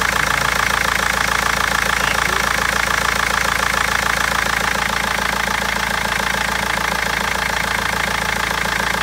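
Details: BMW 320d diesel at idle: loud regular clacking about three or four knocks a second with misfires; injectors or tappets suspected, mechanic unable to find cause for over a month.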